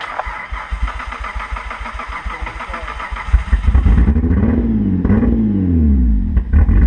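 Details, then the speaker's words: Hyundai Tiburon that sat a long time, after Seafoam in fuel tank, crankcase oil and intake vacuum line: idles fine but hesitates under power, lumpy uneven pulsing with revs surging and sagging, stumbling as load comes on. "um well it's good under idle it's got an issue when you get on power uh you guys will hear it"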